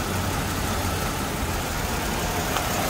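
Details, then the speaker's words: Mercedes-Benz W203 C240 with M112 engine, about 70,000 km, after a half engine overhaul, cover removed: steady even idle hum, no stumble or skipped beats, almost no vibration felt by hand; normal idle. "kalian dengerin suara mesinnya halus dan ini baru ini Oh saya tempel di tangan saya sama sekali Getaran tuh Hai arti ini masih jorok sangat normal tidak ada pincang sama sekali"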